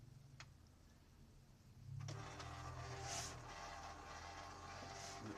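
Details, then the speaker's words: Canon G2000 printer making a loud, rough mechanical whirr with rattling while printing, caused by dried-out grease on the moving parts; fix is applying white grease. "ทีนี้อาการแบบนี้นะครับก็เกิดจากตัวจาระบีมันจะแห้งครับในน้ำจาระบีแห้งส่วนที่มีการเคลื่อนไหวก็ทำให้เกิดเสี"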